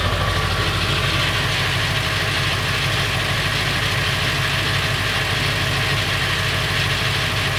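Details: Late 1999 Ford F350, 7.3L Powerstroke diesel at idle: loud, busy clatter with a fast, uneven metallic rattle; noise more pronounced under the truck; source unknown, owner wonders flexplate or engine.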